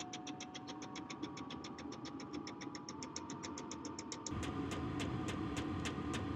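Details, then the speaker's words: Cheap portable diesel heater installed in an RV, running: steady fan rush with a crisp fuel-pump tick about 3.5 times a second that dies down; quiet, normal operation putting out heat. "so actually on the side it's very quiet you can hear a bit of a tick but it does uh die down but that's putting out a nice stream of heat"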